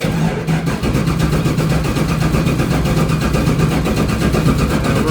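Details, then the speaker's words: Chevy Nova V8 being started with two batteries, pretty low on voltage; steady slow labored cranking at about four pulses a second without firing. It cranks forever, and a 16-volt battery is on order to solve the cranking issue. "pretty low on voltage even with two batteries."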